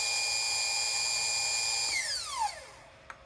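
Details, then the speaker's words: AmpFlow A28-400-F48 fan-cooled 48 V motor clamped down, running with no load on two 8s lithium-ion packs at about 53 V, drawing 4.1–4.3 A, estimated over 6,000 rpm. Clean, high, steady whine, then a smooth pitch drop as power cuts. Normal free run. "all right well it runs at 48 volts and it blows up anything you attach"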